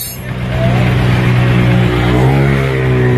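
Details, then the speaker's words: Honda TMX Supremo single after repair of a noisy engine that tune-ups hadn't fixed, rocker arm work: engine picks up and holds a steady, even beat with no top-end ticking; running smoothly again. "tuwang-tuwa yung ating customer napapalakpak siya sa tuan n madilig niya uli yung andar ng kanyang unit na pinong-pino na uli yung andar"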